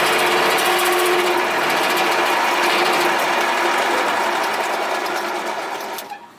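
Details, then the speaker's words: Mini 1–1.5 ton compactor roller electric motor, run through bigger leads and feeling warm. A laboured whir with a fast, uneven buzz about four a second, then it winds down. It binds when tightened; the owner thinks it needs realigning and rebuilding. "I think there's just too much force to have to turn this. I don't know. It doesn't seem that hard though. Now whenever I tighten it up, it does seem hard. So maybe we need to realign this and rebuild this motor."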